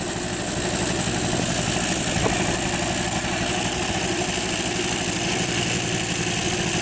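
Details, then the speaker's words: Suzuki FA50 small two-stroke revved up, buzzing hard and unevenly with a coarse shaking drone. It is fine at idle but vibrates heavily as the transmission engages; the owner suspects the transmission gearing. Not hot, has oil, cause unclear. "sounds like it's coming from the transmission for the gearing here but it's really vibrating pretty tough"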